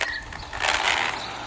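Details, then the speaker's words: RC car with new belt configuration, tested on a long road: fast rattly whirring and clicking rising as it pulls away; owner says it is not the gears but the propeller shaft. "it's still making that noise. It's okay. I know why it's doing that. It's not the gears, it's the propeller shaft."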